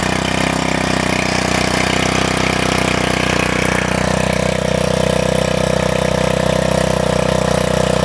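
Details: MTD wheel edger repowered with a 79cc Harbor Freight Predator engine, new 31-inch belt, linkage adjusted; started on choke, the small single-cylinder idles at a steady, even beat with constant pitch, no misses or knocks. Normal idle.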